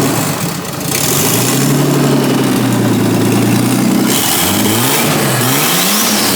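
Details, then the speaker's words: Nissan R32 Skyline RB20DET inline-six, freshly reinstalled with new turbo and intercooler, no exhaust fitted: loud raw blips climbing and falling back, faint turbo flutter as throttle closes; normal running. "Nah, she's all good. It's just a little bit of no exhaust. You can't really hear you can hear a little bit of flutter though, which is awesome."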